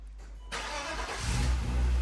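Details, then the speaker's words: BMW E30 on its first fire-up after cooling-system repair, mid coolant bleed: a brief crank, it catches within a second and settles into a steady low idle. Normal start and idle. "Okay. Sounds good to be fair. Ooh, sounds good."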